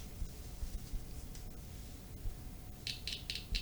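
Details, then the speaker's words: Speaker checked by touching a battery to its terminals: scratchy pops and crackles each contact as the cone moves, meaning the speaker and coil are normal; mic brought close to the speaker. "kalau bunyi krek-krek itu berarti speakernya normal ya"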